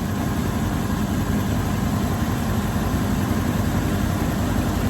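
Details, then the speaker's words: 1984 GMC Sierra Classic after a new alternator belt is fitted: fires right up and settles into a steady, even idle with a smooth low rumble, no knocks, ticks or belt squeal; charging confirmed, normal idle. "There we go. Fires right up. I'm telling y'all, this is a great truck."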